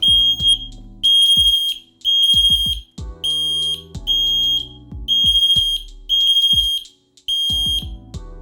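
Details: FireAngel Pro Connected smoke alarm test: shrill high-pitched beeps in bursts about once a second over background music; alarm sounding normally.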